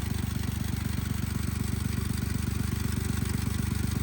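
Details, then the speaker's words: 1999 Lexus ES300 with check engine light: heavy regular chuff-bang about four times a second at idle like an old tractor; cylinders 3 and 6 believed misfiring, likely cheap plugs or coils, suspected not confirmed. "It does run, while running, it sounds like an old two-stroke tractor or like an old Alice Chalmers. Like it just bang, bang, bang, bang, bang, because it has quite a series of misfires. I believe cylinder 3 and 6 are both misfiring."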